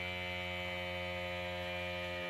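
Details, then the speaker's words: DIY gear oil transfer pump, tank over half full of 90-weight gear oil, valve closed: steady, even electric hum with a faint high whine as the pump pressurizes air in the tank until it shuts off; normal pump operation. "you can see the green light and then here you can hear the pump pressurizing the air in the tank"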